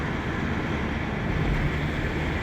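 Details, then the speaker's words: 1998 Renault Laguna 2 2.0, 509,000 km, test drive after cylinder head and timing work: steady low drone with road rumble, no knocks, ticks or misses, engine pulling cleanly; normal running. "Evet bir ses yok şu anda gayet güzel yani problem yok"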